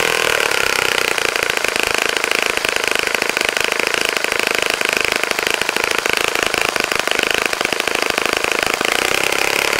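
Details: Saito FA-65 model four-stroke, first run after rebuild, APC 12x6 prop, Morgan's Omega 10% fuel, Fox Miracle plug: high steady full-throttle buzz holding even pitch, no misses or sag; runs clean.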